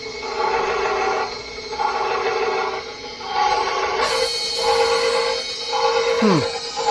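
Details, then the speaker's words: KitchenAid stand mixer running for the first time after being reassembled during repair: loud fast motor whine at steady pitch, swelling and easing about once a second, "sounds like an aircraft"; motor spinning strongly and healthy. "Oh man, it's cooking now. Wow. Thing sounds like a aircraft or something. She's spinning pretty quick."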